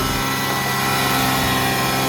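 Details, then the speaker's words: 2006 Hyundai Tucson after alternator replacement, with a fully dead battery, jump-started with a booster pack: a steady, fast engine drone that never settles. High idle, cause unknown. "There's a very high idle for some reason, but I'm going to take this off."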